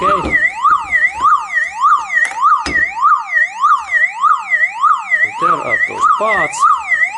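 Loud wailing siren sweeping up and down about 100 times a minute, nonstop: the removed unit is still running off its own backup battery.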